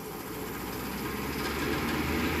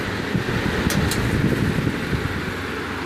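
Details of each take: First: Vintage 15-inch Lasko floor fan, repainted, running with rough rushing noise and a low uneven throb; the motor is off balance and the blades wobble from a loose blade hub. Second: Vintage 15-inch Lasko floor fan after servicing a loose blade hub and straightening bent blades: soft, steady whoosh with minimal vibration; smooth and balanced.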